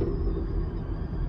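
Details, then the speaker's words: Ford Bronco Raptor at about 40 mph: faint steady high whistle over low road rumble, from the roof light bar acting as a whistle; improper installation suspected, not confirmed. "Это я не знаю слышно у вас потому что Реально это очень дискомфортно я еду всего 40 миль в час Если я буду ехать быстрее то она будет свистеть еще быстрее"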